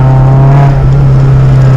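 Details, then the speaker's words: 2006–2008 NC1 Mazda MX-5 Miata pulling under load: the mid-range breaks up and stumbles. Suspected cause is deteriorated coil pack wiring pigtails; the fix is splicing in new pigtails. "I noticed a bunch of issues start at the tail of the Dragon where my mid-range would really break up and didn't make any sense. Flashback. It's breaking up."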